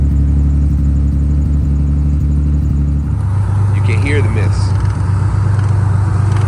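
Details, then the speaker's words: 1990 Nissan 300ZX Z32 twin turbo, not run since 2018, first start after new timing belt, old fuel still in tank, no catalyst: idle settles to a steady low beat with occasional stumble; misfire at idle, owner suspects old fuel. "The gas is still old in this car, so the mist could be caused by fuel."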